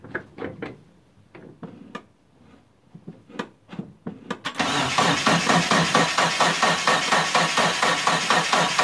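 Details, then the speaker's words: Mitsubishi Eclipse GST turbo after about nine years off the road and a timing job, first start attempt: starter churns steadily at about two beats a second, engine never fires, fuel pump not heard priming. "uh you so right off the bat uh i don't hear the fuel pump priming um i'm gonna have to check the wiring on that"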